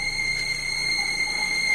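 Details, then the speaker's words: Chevrolet Cruze whistling under the hood on the highway, at idle: constant steady high-pitched whistle resembling a slipping alternator or power-steering belt; a torn corrugated hose was found, and the description points to the EGR valve. "Так, ну что, заведем машину, послушаем, какой звук издает. Вот и сразу же мы слышим звук. Звук очень похож на ремень генератора,"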